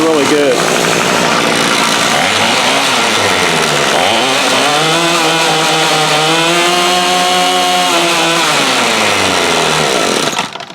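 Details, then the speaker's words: Remington Rustler RM2510 25cc two-stroke trimmer, reassembled after starter work: high buzzy note climbs and falls smoothly with throttle, even revs, no stumbling; loose starter cord heard flapping inside; engine runs healthy, starter assembly poorly built. "thing runs like a top you hear the cable in there kind of flapping around"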